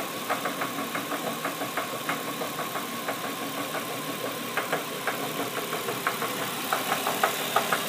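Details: Nissan VQ35DE petrol V6 with 73k miles, remote-started near idle then given gas: sharp regular knock about three per second, traced to the number 3 cylinder; engine knock, cause not confirmed.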